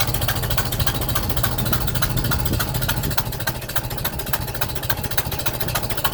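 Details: Super M tractor right after startup: sharp, quick knocking/tapping about three to four times a second over the low idle beat. Owner first suspected a cracked exhaust manifold, now thinks it is likely the manifold gasket; not confirmed.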